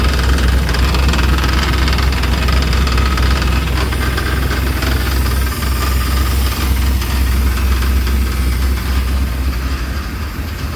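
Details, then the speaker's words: 1995 Chevy 1500 GMT400 V8, first start after the spark plug wires were corrected on the distributor cap, with oil pressure: a sharp, steady knock about four per second over a rough idle, tracking fan speed, from the front. An object is striking the cooling fan. "But honestly it sounded like it sounded like the sound was coming from the front here. Um like something was rattling. It didn't really sound like I don't know. It didn't really sound like engine noise."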